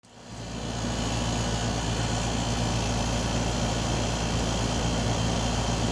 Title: Ac weird noise